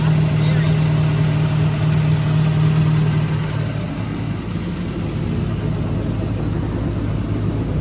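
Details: 2003 Ford Taurus NASCAR stock car, Roush Yates carbureted V8, first start after oil system work: deep loud rumble holds firm then settles slightly lower without stumbling; ignition firing cleanly, carb working without cleaning.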